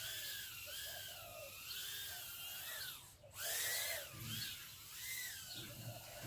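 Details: FlySky Mobula7 micro quad, props set in Betaflight to spin only once throttle is given: with slight throttle blips, a thin, high whine rises and falls smoothly and the little motors spin up evenly with no rattle.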